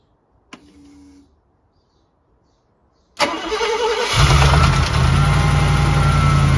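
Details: Mercedes SL R107 V8 cold start, cranking then idling: light rapid rattle the owner thinks is the timing chain striking the inside of the left valve cover at the left camshaft; not always audible from driver's seat.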